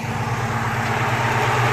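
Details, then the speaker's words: Volvo Amazon 122S with a carbureted Weber DGEV 32/36 and a newly replaced, adjusted choke, warmed a few minutes. Blipped from a high idle, it settles right away into a steady, even low rumble with no hunting or misses; a normal warm idle. "I blip the throttle because it was still at a high idle and it settled down right away and it sounds good"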